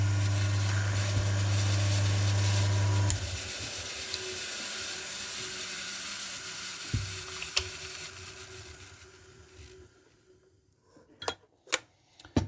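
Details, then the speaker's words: Single-phase induction motor with run winding AZ–A (4.3 ohms) and start winding S–T (14.3 ohms), run unloaded: loud start hum, then even running tone coasting down; settles to four amps, a normal start and run. "having said that when it starts up it's going to be many times more than four amps but it should settle down to something like that so um let's let's start it up"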